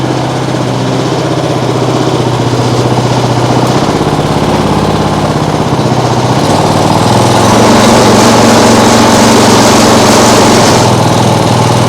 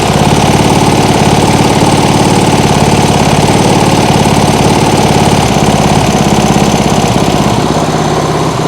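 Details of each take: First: Small single-cylinder lawnmower engine rigged as an outboard, flywheel possibly too small: runs, then surges and sags unevenly, falling on its face and shaking a lot; owner fears a bent crank, cause unclear. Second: Small single-cylinder lawnmower engine on an outboard rig at its lowest idle: slow, even putter around three and a half beats a second with no misfires; owner thinks it may be a bit too low.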